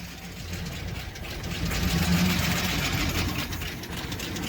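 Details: 2007 Chevy Express 3500 van V8 at idle with a little throttle: a quick, light ticking rides over the exhaust and picks up with gas. No smoke, and it runs smooth; the owner had hoped it was a pulley. Sticky lifter tick.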